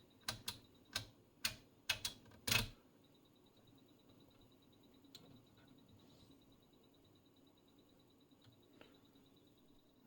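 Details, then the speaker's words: Schlumberger 4910B SSB analyzer (1980) in telegraph mode, a wire connected as input: half a dozen sharp, uneven relay clicks over two seconds, then quiet hum; normal relay switching while sampling. "And this is the telegraph mode. where you can hear it's doing some click click,"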